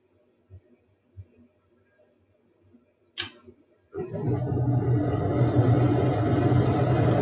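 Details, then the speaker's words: Mid-efficiency gas furnace, third ignition try after reconnecting the flame sensor: a few quiet clicks, then burners light with a steady even roar and fan rush that holds; error LED clears, normal operation. "now that flame sensor has a flame on that last burner and it's allowing the system to continue to operate so now everything is going as planned"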